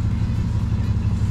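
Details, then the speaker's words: Lexus 1UZFE V8 swapped into a Jeep KJ, in park: steady low, lumpy rumble that never climbs, won't rev; sounds much better in drive, and a gearbox issue with the prop shaft not spinning is suspected. "okay so this is the park you guys can hear it won't ref up"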